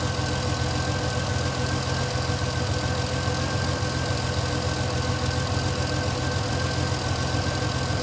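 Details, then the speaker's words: Vintage Ferrari 330 GTC after an upgraded cooling fan install, warm idle after a drive on a roughly 75-80°F day: even idle under a steady rushing fan hum; fans set at 85°, temperature dropping to about 181-185, cooling normally. "So it's like a 75, 80 degree day. And you can hear now the fans are running again. We have an 85 degree temperature setting."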